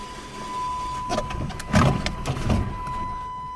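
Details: Chrysler PT Cruiser, manual, after replacing the engine computer (PCM): brief uneven cranking pulses, never catches, possibly flooded. The new PCM must be programmed with the VIN to match the SKIM immobilizer module.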